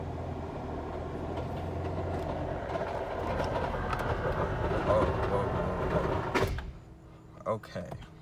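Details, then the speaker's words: 2010 Ford Taurus that won't drive or reverse, rolls freely in park, loses transmission fluid: engine note swells with a rising whir under throttle in gear but the car doesn't pull; new noise, transmission not engaging. "so that's new it hasn't really made that noise before it's just kind of it's just kind of free web but i never heard it made that noise before at all"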